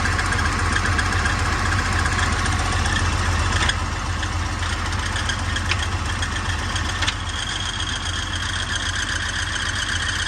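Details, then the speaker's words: 1986 Ford F350 bullnose with Cummins 12V swap, idling: steady gravelly diesel knock with a high whirring whine and a little chirp; the noise comes from the clutch throwout bearing, so the transmission must come out to replace it. "I don't know how well you guys could hear that little chirp but that is definitely not g"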